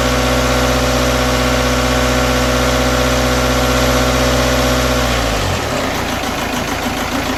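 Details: BKD diesel idling cold with a lumpy, uneven clatter for about five seconds before the engine note drops away; rough cold idle, cause unknown.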